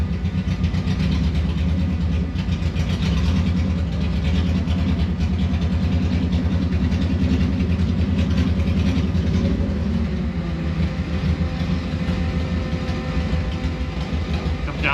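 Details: Subaru EJ25D engine swapped into 1974 VW Bus on first drive, after moving in first and reverse: drops back to steady even idle, regular low beat, no misses or knocks; normal idle.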